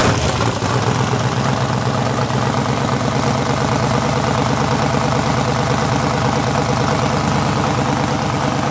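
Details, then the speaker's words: LS-swapped budget Mustang drag car, first start after fixing knocked-off fuel pump connector: loud, steady V8 rumble with even firing, no knocks, misses or stumbles; slight smoke, likely greasy fingers; runs clean. "suck it science look at that sounded like a champ now we need a turbo kit"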